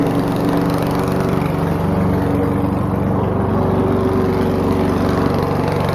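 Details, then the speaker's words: Old donated lawnmower, ether-assisted start, air filter lost: the small single-cylinder runs loud and ragged while smoke pours from the crankcase vent as combustion pressure leaks past worn piston rings; terrible compression, maybe bad valves suspected. "It has a ton of blow-by, and it's got terrible rings, terrible compression, maybe even bad valves."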